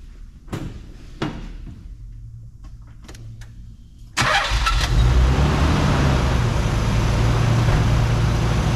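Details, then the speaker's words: Australian-delivered non-turbo Nissan 300 V6 after timing belt, water pump, plugs, oil, air and filter service, previously wouldn't stay idling; cranks a few times, catches and settles into smooth even idle, cold and warming up, choke on. "it's running through running fairly a nice little note to the V6 obviously the chokes are at the moment she's warming up but this is a non-turbo Edition"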